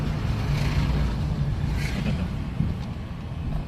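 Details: 2025 Mitsubishi Mirage driven over potholes after mechanic greased and sprayed front end following driver-side noise since getting stuck in mud: steady tyre rumble and wind buffeting, no knock or clunk; noise gone.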